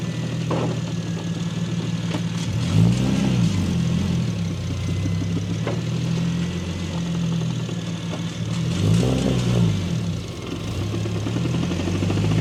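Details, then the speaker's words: Single-turbo BMW N54 at 17.5 psi, after index 12 injectors and new tune: revving with dull metallic knock tracking engine speed, started suddenly after first pull; glitter and silver chunks in oil filter suggest spun rod bearing, piston slap also considered. "As you can see, that shit just started knocking out of nowhere. It sounds like a bearing, maybe a piston slap, I have no clue."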